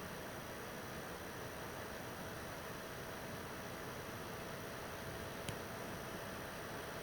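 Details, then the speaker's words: PS4 Pro 3rd gen 7215B, only dusted, no new pads or paste, running a taxing game: soft steady airy hiss rising a little, no rattle, whine or ticking, not that loud; normal fan noise under load. "you can hear it come up a little bit it's really not that loud it's not that bad and that's pretty much expected"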